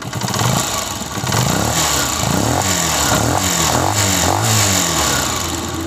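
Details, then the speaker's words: 2022 Honda CG125 after the fix with magnet case refitted, silencer blocked: throttle blips rise and fall smoothly with no knocks or rattles; only the engine's base sound remains. "जी तो दोस्तों जो engine की अपनी एक base होती है व आवाज है बाकी बिल्कुल भी क्लियर होगी आवाज"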